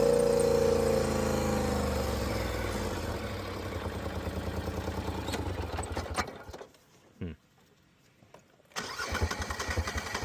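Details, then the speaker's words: Polaris Sportsman ATV starting and running unevenly with a skip, nearly dropping out from a misfire, tending to shut off in high range; fixed with new spark plugs and plug wires. "Definitely got a little misfire."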